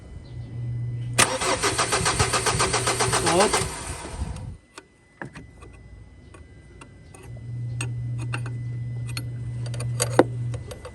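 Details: Ford Ranger diesel, hard starting when hot: long steady cranking, brief catch, more cranking with no firm start; suspected crankshaft or camshaft sensor, suction control valve, fuel rail pressure sensor or fuel pump, unconfirmed.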